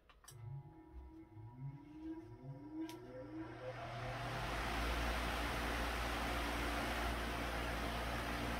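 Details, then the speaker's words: ILG Model 163 panel-mount fan, freshly rewound motor after being seized and burned out: motor hum climbs during startup, then settles into a smooth rush of air at 1140 RPM. The blade is slightly out of balance. Normal startup. "the motor has a really nice startup harmonic to it"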